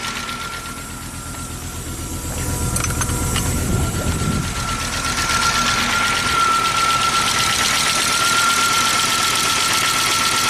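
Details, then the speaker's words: Abandoned Audi Turbo, first run in 10 years, rough-running with number one cylinder not firing (injector stuck): steady tick about three per second; valvetrain ticking, lifters not yet pumped up with oil. "and that taking the lifters are haven't been pumped up with oil in 10 years so we'll let it run for a little bit"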